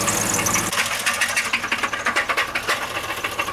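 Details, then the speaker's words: Pickup truck idling with oil and/or coolant drained in a run-to-failure test; after 50 minutes, sharp metallic knocks six or seven a second over the idle, diesel-like: oil-starved bearing near seizure. "so after 50 minutes of idling this truck is finally begin to make some knocking noises it sounds like diesel engine now"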